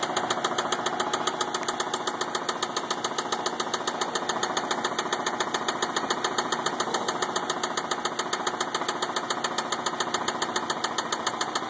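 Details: 2004 Mazda 6 running with a loud even metallic rod knock, about three or four raps a second; car shaking.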